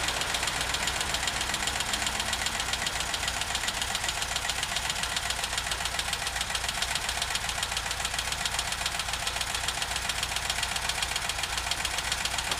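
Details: VW Vanagon T3 that gives strange smoke when cold: at idle a quick, even ticking knock at nearly four a second tracks the engine over a steady hum; no cause found yet.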